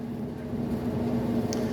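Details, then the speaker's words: Maytag electric dryer made by Whirlpool, after replacing the noisy belt tensioner, running without vent hose: steady low hum with a smooth even tumble, no squeak or thump; normal operation, just loud without a vent. "that's what your dryer should sound like uh it's a little loud because there's no there's no event uh hose going out to the side of the garage because I just use this for testing"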